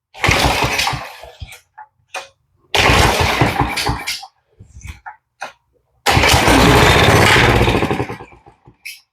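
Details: Coleman CT100 minibike engine, no chain fitted, hit with starter fluid: three hard bursts of rapid popping, each dying within seconds, showing it fires and has compression; replacement carburetor planned.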